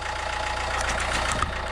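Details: 1.9 JTDM/CDTI diesel idling after its first start following a snapped timing belt rebuild (new timing belt, water pump, rockers, pulleys, glow plugs). Steady, settled, low rumble under clapping and background noise. An even, healthy normal idle.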